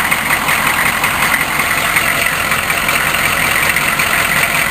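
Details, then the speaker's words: Cold-started 6.5 turbo diesel: a busy, uneven diesel idle with irregular popping and sputtering under the clatter. The owner wonders about an old gasket; the cause is unclear. "no it's just the air from the fan against my arm yeah something is sput sput"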